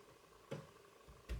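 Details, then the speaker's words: Amiga 500 at power-on: a few sharp dry ticks under a second apart, the floppy drive head stepping, over a quiet room. "Just plug it in. Oh. I can hear the floppy drive ticking over."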